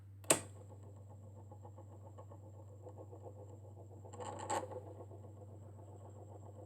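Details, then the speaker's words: Vintage Thorens TD-165 turntable running with belt but without platter: steady low motor hum with fast scratchy ticking and faint high whine; owner suspects the motor or the pulley/spindle unit, not confirmed. "am I right in assuming that maybe it's the motor or is it maybe just this spindle where is that that's definitely not normal"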